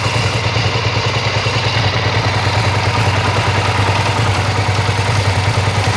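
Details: Suzuki SV650 V-twin at idle: light, fairly regular ticking about three per second from the top end, unlike the usual cam chain tensioner noise; owner guesses one loose valve out of adjustment, though the engine pulls fine.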